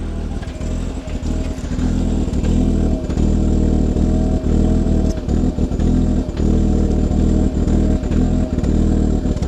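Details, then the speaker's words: 2000 Audi TT Quattro revved after sitting parked a long time: revs rise and fall with stumbles and brief dropouts; owner suspects old gas in the system. "It's just that old gas. As you can hear, the Audi is having some issues."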